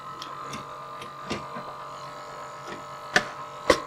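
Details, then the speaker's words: PC case fan with a worn bearing in the top position, a few years old, making a steady buzzing whir with a rough, shaver-like edge. It stops when whacked, and it is being replaced. "so the fans have been in there for a few years and obviously one of them is started to pack up and it's the top one of a whack here it goes off"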